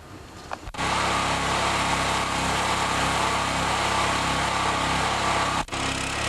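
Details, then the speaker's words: Chinese Honda-clone 6.5 hp generator (4000 W, 3400 W rated), NGK BPR4ES plug fitted, being run dry for storage: small single-cylinder engine buzzing at steady, even speed, no surging or missing; healthy running. "and if you remove the plug and it's really really wet it's probably flooded so I'm going to sort it up and let it run dry"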